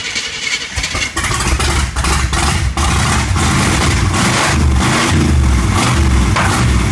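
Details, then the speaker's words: Small block Chevy 350 V8 swapped into Suzuki Sidekick, running without fuel pump hooked up after priming; cranks, catches, then loping, irregular low thump hunting at idle because ignition timing is way off. "so maybe I'll just put that on like a push button like this one so just primer up and then fire it up you know kind of thing timing is way off"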